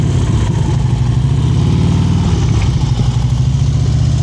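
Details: Yamaha V-Star 950 during slow-speed cone practice; the rider's preload was too low before and is now raised. Low, even engine drone held at a steady, slightly raised speed with no surging or dips; correct throttle preload.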